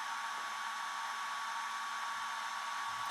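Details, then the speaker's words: iSDT Q6 Pro smart LiPo charger (300 W, up to 6S) starting a discharge, shedding the energy as heat so the fans spin up: even, steady airy whoosh with a thin constant whine; cooling fan spinning normally. "so now you can see the fan spin up because of course it will only be discharging it by generating Heat so now all the fans is asked to spinning up"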